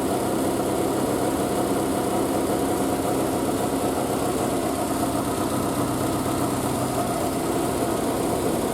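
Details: Triumph Spitfire after a single-carb conversion, unstarted for a couple of weeks, idling on choke just after a cold start with the exhaust wrap steaming. Steady, even idle with no misses or knocks; the engine is running healthy.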